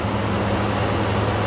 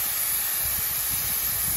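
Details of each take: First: 1979 Chevy K10, small block 350 V8, abandoned 20 years, restarted after extra fuel (carb may be leaking a little): an even low rumble with no valve train noise, knocking or vibration. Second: 1979 Chevy K10, revived after 20 years, overheated after a four-mile drive: a loud, steady steam hiss, source of the leak unknown. Owner fears a cracked block from water left in it.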